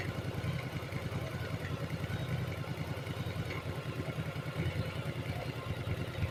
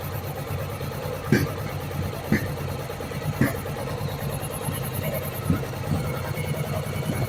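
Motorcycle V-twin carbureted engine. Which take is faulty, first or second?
second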